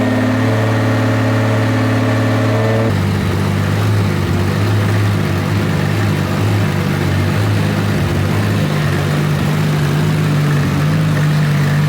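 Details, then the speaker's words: Rebuilt 2JZ in Nissan S14 240SX, first start after fixing missing crank trigger tooth no-start; compression change, tune on: catches and settles into steady even low idle, no knocks or misses; oil pressure good, normal idle. "all right so we got the motor started everything's good oil pressure is good obviously it's idling very well"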